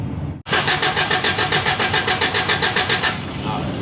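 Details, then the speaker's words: 1983 Toyota 4x4 pickup, 22R four-cylinder, manual, sat at least 10 years: even starter churn at about 3.5 pulses per second for under three seconds, never catching; no spark, even with a replacement ignition control module wired in as a bypass. "so we're bypassing that by wiring this one in and we're going to see if it gives a spark ready"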